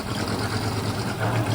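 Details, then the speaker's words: Marketplace-bought automatic car: a short burst of uneven, lumpy low idle with a wavering beat that never settles. The engine runs rough and sounds unhealthy; cause unknown. "That doesn't sound too healthy. Does that sound not very healthy"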